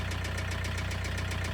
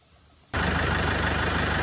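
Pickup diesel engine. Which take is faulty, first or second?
first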